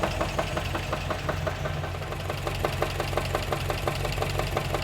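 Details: 1954 MG TF whose new owner reports a recently appeared engine noise; sharp, regular knocking about three per second ticks over a steady idle; engine knock, source still being diagnosed.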